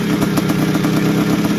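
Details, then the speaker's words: 1981 Suzuki RM465 two-stroke barn find, first start after fuel poured down the plug: rough revving with a loose tinny rattle over each burst; owner suspects it needs a top end, heavy smoke suggests blown main seal, clutch side suspected. "it sounds like it needs a top end or something sounds a bit rattly and it could even have a blown sure by the amount of smoke that was going out the back"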